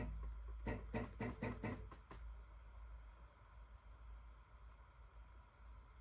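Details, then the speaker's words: Newly assembled Alt-Mill CNC machine jogging its axes left-right, front-back and up-down: short even buzzing bursts about four a second, then a low hum; running normally. "so I'm going to jog I'm going to move here and I'm going to just jog it left and right other side up uh sorry toward to the back toward me and the spin it up and down"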